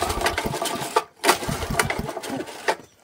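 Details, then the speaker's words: Old 8 horsepower Honda engine from auction, ran previous day on brake cleaner, pull-started on petrol with choke on, full throttle: a few sharp pull-start cranks, turning over without catching; cranks but won't start, carburetor problem suspected. "she ain't going to go guys I think we have a lot more of a carburetor problem in here cuz we know this thing ran yesterday on brake clean didn't we"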